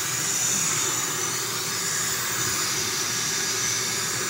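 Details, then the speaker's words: 1960 Electrolux Automatic Model G vacuum cleaner, not run in over a month, bag possibly full: steady airy rush with even hiss, no surging or rattle; motor runs normally. "it runs pretty good no no Spitzer spiders or anything"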